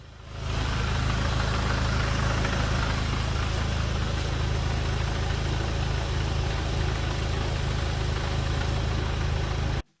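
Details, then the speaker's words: VW GTI with Stage 3 performance clutch idling, recorded outside on the driver's side with window down, cool day, AC off: loose uneven rattle over the low hum, typical clutch chatter from a stiff performance clutch. "for those interested in the clutch chatter here's what I can hear the window is down and outside this is the driver's side"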